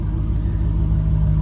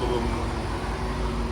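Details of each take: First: GM car with fourth-generation Bosch injectors replacing original 1989-92 GM Multec injectors: deep, even idle, steady low rumble with no stumbles or misses; crisp smooth running credited to the injectors, normal idle. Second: C4 Corvette ZR1 (LT5) with grey GM Multec injectors, before they are replaced. Deep, uneven idle with an occasional dull thump, worsening as the engine gets hotter. Intermittent misfire from failing fuel injectors.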